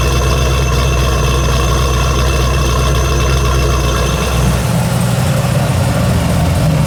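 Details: G48 project car just fitted with a newly completed exhaust and tailpipes, in neutral: steady, even low idle rumble with no misses or knocks, much quieter than before. Slight belt squeal from a manual tensioner is noted. Normal idle.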